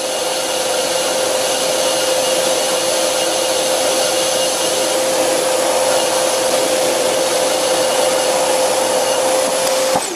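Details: Hundred-year-old bench lathe on a VFD at 20 Hz taking a very light facing cut on a disc brake rotor after torque compensation testing; steady even whirr, faint rumble, smooth cut.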